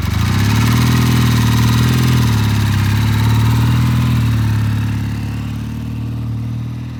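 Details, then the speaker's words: Vintage Triumph twin, oil-in-frame five-speed, cold start after sitting; pilot jets on both carburetors cleaned of E15 fuel clogging. Steady, even low twin-cylinder idle with regular firing pulses, no misses or knocks; starts easily, runs smooth and healthy. "so this guy's running great started the easy run smooth yes smooth stop smooth uh you can't ask much more from a vintage Triumph"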